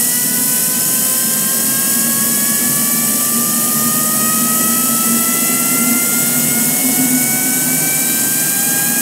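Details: Home-built turbine of about 220 lb thrust, stored for 2.5 years, started with compressed air through a nozzle; no ECU, fuel pump set by a rheostat, a slightly hot start: a smooth, steady high whine rising slightly in pitch; normal turbine running.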